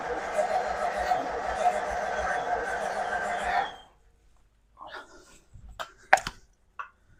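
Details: 1936 Ford Flathead V8 in a belly tank racer, first start after new starter, spark plugs, fuel pump and carb rebuild, choke partly on, no cooling water: holds an even, steady run a few seconds before shutdown; healthy.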